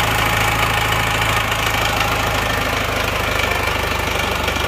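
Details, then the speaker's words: Isuzu Panther diesel, rebuilt after a broken crankshaft, injection timing backed off fully to offset an over-deep regulating valve: steady even idle clatter with no harsh knock, now fairly smooth. "Nah, ini agak halus ya ini suaranya sekarang."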